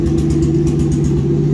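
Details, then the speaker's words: 2JZ-GE non-VVTi block with VVTi head and BC 276 cams, NA-T, first start after ECUMaster wiring on a borrowed ECU with an E85 tune: a loud lumpy drone, running rough but revving. "my tune is actually tuned on e85 and you guys can hear it's not exactly perfect um simply because it's just not right but it is running and it does rev"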